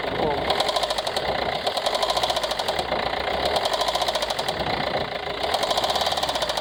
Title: ford c max 2015 tdci engine knocking tapping any ideas